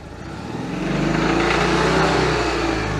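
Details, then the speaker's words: Citroën 2CV with a worn, hastily assembled air-cooled twin, on a long road trip: a loud, droning, resonant boom over a steady pulse while driving; owner suspects the engine cowling, unconfirmed. "yeah there's something in there i don't know what it is it sounds like it could almost be cowling related uh the cowling goes around the engine"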